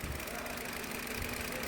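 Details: 2023 Hyundai Verna petrol automatic, overheating and losing coolant with the fan running constantly: a steady idle with a dull, rapid knock under the rumble, consistent with piston knock. Head removal being considered.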